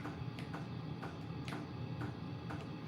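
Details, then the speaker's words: HCALORY 8 kW portable diesel air heater in a garage on its lowest setting: soft regular ticks about twice a second over a low hum; fuel pump metering normally. "now this is on this is on super low it's the lowest setting"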